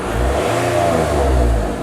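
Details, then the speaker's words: 16-year-old Audi A2 three-cylinder diesel revving and holding with a deep, throaty roar and no knock or rattle; the owner suspects an intake air induction leak somewhere. "sounds quite throaty it might have an air induction leak somewhere so wanted to look at that"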